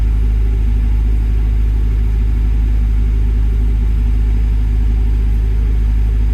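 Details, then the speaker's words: Develon DX62 digger diesel idling: deep thrum with uneven lumpy beat about two pulses a second, a misfire; rail pressure reaching about 480 against 500 desired, debris in metering unit, DPF regen fault codes; mechanic suspects injectors, unconfirmed. "I think it wants a set of injectors."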